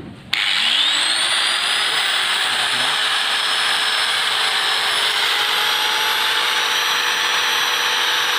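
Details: Household pump motor started through a homemade soft starter to stop breaker tripping from inrush current; starts and settles into a steady high-pitched hum with faint constant tone, no knocks or surges; normal running.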